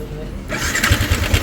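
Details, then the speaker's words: Sniper 155 at 19,866 km, started after fitting a manual cam chain tensioner, with a light metallic rattle on top; the tensioner is not screwed in enough, and the noise goes once it is adjusted further. "So mapapansin nyo maingay pa siya. So pag ganyan kulang pa siya sa pasok pa, yan."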